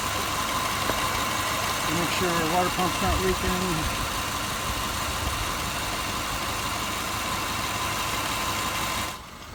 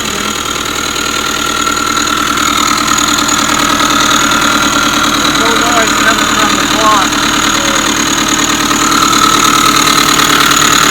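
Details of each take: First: 2005 Subaru Forester after redoing an incorrectly done timing belt job that caused noise: steady, even idle with smooth boxer burble, no knocks, ticks or misses; running like new. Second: 2005 Subaru Forester 2.5 SOHC boxer, about 100,000 miles, at idle: steady high-pitched whine over even idle from inside the timing belt cover; failing timing belt tensioner or idler pulley bearing, belt previously replaced incorrectly.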